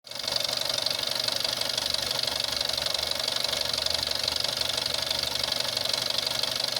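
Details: VW Jetta 6 1.4 TSI CAXA, 125,000 km, fast even ticking knock about four per second over idle on cold start, worst after 3+ days unused, gone when warm; timing chain tested unstretched at 100,000 km; cause unknown.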